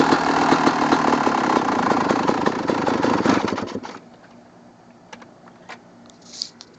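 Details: 2002 Kawasaki KX250 two-stroke: sharp running with a fairly regular tick, about four per second, still audible as the engine dies away; suspected clutch basket, power valve, or crank rod or bearing, not confirmed.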